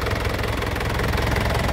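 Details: 2010 Isuzu Panther LM Smart Turbo diesel, manual: steady low diesel chatter at idle with even firing and no stray knocks, briefly revved; the engine sounds solid and healthy.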